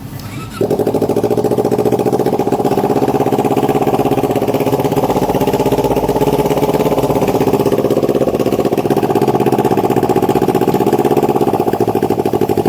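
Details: Kawasaki Ninja 250R that had flooded with fuel (float not sealing, fuel into oil and air filter), left overnight and run from a bottle tank: it catches and settles into an even, steady idle with no stumbling. The flooding no longer occurs.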